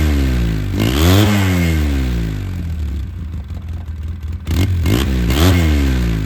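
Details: 2009 Polaris RZR 800, parked about 5 years, which earlier stalled whenever throttle was given: idles then revs cleanly twice, pitch climbing and dropping smoothly, no stumbling or cutting out; running fine now.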